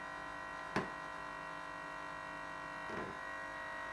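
A steady electric buzz from the running compressor, with two sharp rattling knocks a couple of seconds apart; something loose at the back.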